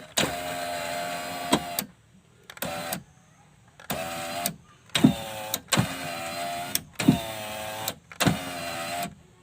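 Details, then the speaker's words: Left door power window on Toyota Avanza/Daihatsu Xenia All New, after regluing parts to cure glass judder on closing: seven even one-second up/down runs with steady hum, no rattle or judder; normal operation after repair. "Kalau dirasa sudah cukup, tinggal kita tes ke atas ke bawah ya untuk kacanya."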